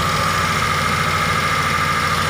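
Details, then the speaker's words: T120SS fuel-injected car: a steady, high, flute-like whistle at idle and when revved. The dented oil pan pushes against the oil pump pickup, which whistles as oil is sucked up. "jadi suaranya itu berasal dari bawah yaitu dari pancit poli ini yang penyok jadi panci ini karena terlalu di dalam akibatnya adalah pompa oli atau corong dari ujung pompa oli itu mepet dengan plat dari panci oli ini sehingga terjadilah suara seperti ini ketika oli naik atau oli disedot"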